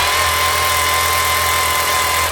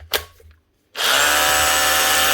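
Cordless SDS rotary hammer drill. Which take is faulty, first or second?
first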